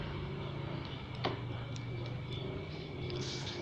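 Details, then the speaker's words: Maspion electric fan with a worn, scuffed shaft, on speed setting 3: the motor turns heavily and slowly with a low, steady hum, giving weak airflow. "dia posisinya nomor tiga sudah tertata sudah tertekan nomor tiga speednya dan ternyata dia masih mau berputar ya putarannya berat-berat dan suaranya agak mendengung"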